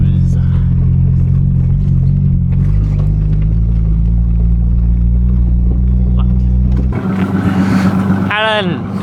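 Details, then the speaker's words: 1988 Ford Ranger on a cold morning, dies right after starting, seems to run rich; MAP sensor changed and IAC valve cleaned: low lumpy idle holds several seconds then sags and cuts out; stalling at idle, cause unconfirmed. "it's a little cold it doesn't a ranger is doing okay this has idling issues"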